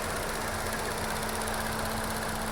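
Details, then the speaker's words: 2016 Chevy Cruze 1.4L at idle: fast steady light clicking from the faulty EVAP purge valve, also causing code P0496; injectors first suspected; both fixed by replacing that one part. "we have two problems the clicking noise from the engine and the code p0496"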